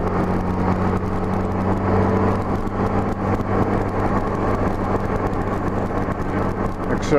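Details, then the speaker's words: 1984–85 Honda GL1200 Gold Wing after Honda's low-speed driveability carburetor kit, accelerating in fourth gear from about 2,400 rpm up to 55 mph: steady even drone rising, no stumble, popping or misfire; normal smooth acceleration. "smoothly on up to 55"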